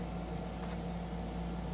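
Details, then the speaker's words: PC with a Ryzen 3000 CPU on an MSI B450/X470 Tomahawk board, RESET SW jumper removed, at power-on: smooth, steady low fan hum at constant pitch, no rattles or clicks. Fans spin up normally, and it posts. "okay let's turn it on see if it boots up again there we go fans of spinning"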